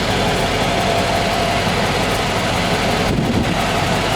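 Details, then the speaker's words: 1995 Cadillac Fleetwood after new mufflers were fitted, cold start: steady, even idle exhaust note with no misses, blowing or rattles and only a slight lisp. A normal idle, much quieter than with the old mufflers. "yeah there's a slight lisp to it but other than that sure as how better than it was before here how she sounds sure H better than before"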